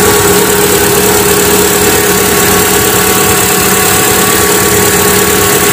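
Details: Hyundai Atoz engine idling, tek-tek ticking heard when cold in the morning: light quick ticking about three a second over steady idle; dry drive belt chattering on its pulley, quieted after being wetted.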